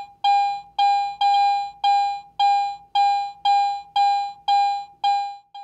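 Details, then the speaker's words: Garrett AT Pro metal detector in standard mode (binary audio), coin passed beneath the search coil at different distances: eleven identical full-strength tones, about two per second, giving an even on-off normal coin response. "this consistent Target response is called binary audio in other words it is either on or off it either beeps or it doesn't"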